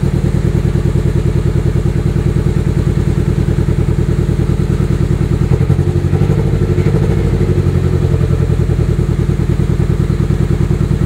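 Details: GSX with newly fitted RC 750cc injectors (replacing 550cc), tune restarted from scratch: lumpy idle with recurring thump and stumble, two misfires; suspected bad injector pulse signal, clogged or burned-out injector.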